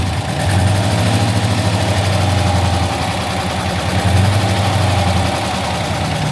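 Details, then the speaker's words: Daimler Majestic Major limousine Hemi V8 idling while warming up: steady, even smooth low hum, no knocks or misses; runs sweetly. "the Rover V8s don't make that sound it sounds really well though very smooth got to warm up a little bit it's a very smooth engine isn't it"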